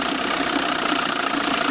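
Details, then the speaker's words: Chrysler outboard two-stroke on a test wheel after an ignition misfire repair, new water pump, rebuilt carburetor and new fuel pump: an even, quick idle with steady firing and no misses. The misfire is gone; a normal idle. "so sounds good I think now it's ready for a lake test"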